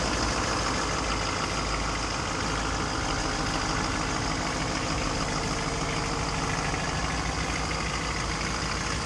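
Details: 2010 Duramax diesel truck that sat unused 5 years: steady, slightly raised idle with even clatter, no misses or knocks; runs good, normal warm-up cycle idle.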